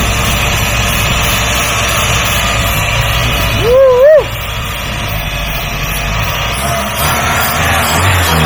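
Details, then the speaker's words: Free truck run on carb cleaner rather than its own fuel supply: a low, even rumble with steady firing and no misses or knocks, a short whistle passing over it, and no smoke. Normal running. "boys we got life it doesn't even smoke the engine sounds pretty good"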